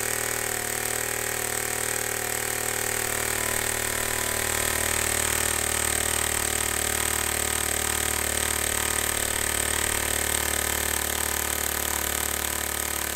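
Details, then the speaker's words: Homemade compressed air engine with a leak, before adding a throttle: rapid, even puffing at a steady pace with faint hiss of escaping air; runs smoothly. "okay so that's just gonna keep running forever"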